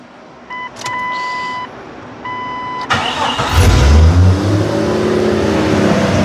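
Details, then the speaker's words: Jeep after retightening gaskets: chime tones, then clean crank and catch into steady, even idle at 800 rpm with no ticks or leaks heard; normal start and idle. "that's the way it's supposed to sound also I don't know what's going on with this might have to fix that yeah idling steadily at 800"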